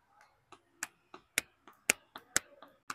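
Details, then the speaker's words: Mercedes E220D, 110,000 km, front suspension noise after a high-speed underbody impact: removed lower control arm worked by hand gives loose, irregular clacks about two a second; ball joint worn and sloppy, unlike the stiff new part. "ये देखो ये lower arm गया है इसमें noise है और यह part गया है लो आराम है नीचे का तो ये गया हुआ है इसमें बहुत आवाज आ रही है"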